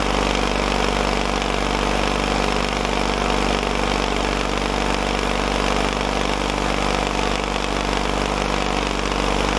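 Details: Caterpillar dozer parked since 1992, gasoline pony engine after filing corroded breaker points: steady even chugging beat, no stumbling or dropouts; ignition firing cleanly, normal running.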